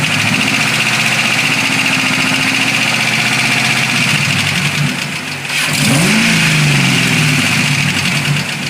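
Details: 2006 Mustang GT V8: a quick, even ticking that follows engine speed at idle and on a short rev. Traced by stethoscope to the passenger side, where a failed roller cam follower bearing had worn a cam lobe nearly round.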